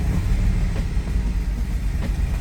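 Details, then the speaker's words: 2007 Mercedes GL450 V8 just started, lumpy searching idle that surges and dips, battery and check engine lights on; random misfire and low power, two spark plugs found oily, shop said it needs a new engine. "Okay, it started. Still a bad idle."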